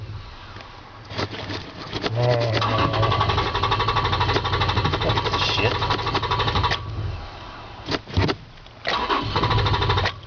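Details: Toyota Tacoma hard starting: long steady cranking, roughly three turns a second, lasting seconds with stops and retries; cause not yet found.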